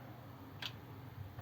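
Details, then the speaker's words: 1932 Ford with a Volvo 4-speed overdrive transmission swap, phone by the solenoid, in fourth gear with the switch turned on and off: two faint, crisp clicks under a low hum; the overdrive solenoid engages normally. "look back at it back out of gear on now click off on now click back into gear listen on"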